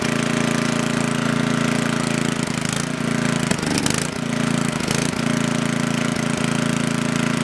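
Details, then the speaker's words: Coleman Powermate Maxa 5000 ER generator, just reassembled, runs only on half choke. Steady drone that sags and wavers as the governor hunts; it starves for fuel with the choke fully open, so a lean carburetor is suspected to need cleaning. "Alright, it runs on half choke, but it starts, the governor takes over, and it's starving for fuel when you put the choke all the way open."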